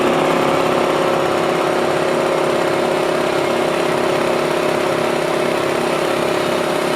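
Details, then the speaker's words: Compressor bought new 25 years ago, after draining its 25-year-old oil, demonstrated with valve open: steady even mid-pitched drone, no knocks or rattles; running smoothly, sounds quite good and healthy. "So as you can hear, it's actually sounding quite good, which is a bonus."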